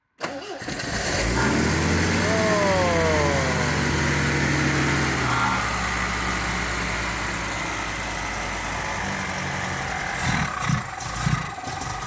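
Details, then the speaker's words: MGB GT restarted after about 12 months stored in a garage, bonnet open: it catches immediately, revs briefly and settles into a steady, even idle with no misses or knocks; it started first time, healthy. "but she runs amazingly well i still got blue she started first time after all that time"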